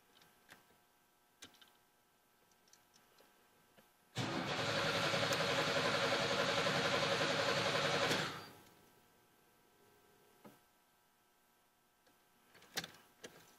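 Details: Engine cranks about four seconds, steady and even near four compression beats a second, with no firing; won't start despite fuel pressure holding about 45 and rear three cylinders' compression just above 150.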